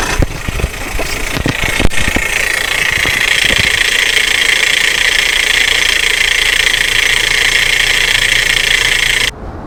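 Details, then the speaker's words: Idling car engine with a steady high whir heard near the starter, traced by listening with a hose; first thought to be a bearing, pulley or belt, found to be a faulty starter drive gear. "you could notice it, the noise comes from The starter engine or close to it"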